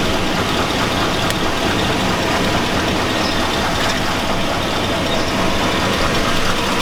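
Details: 2002 Chevy Avalanche 5.3L V8. A dense metallic clatter rides over the idle and never lets up. The owner says it sounds like rod knock, consistent with a worn rod bearing, and the truck is judged not worth fixing.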